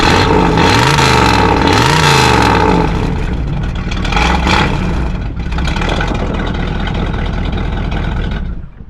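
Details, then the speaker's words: 1964 Ford Galaxie 500 convertible, original 289 4-barrel V8, 77,062 miles, recorded at the tailpipe: deep V8 rumble rising and falling with revs with a rough puffing edge, an exhaust leak believed to be a manifold gasket leak. "pretty cool car and it sounds pretty good except for that exhaust leak that looks like a manifold gasket leak"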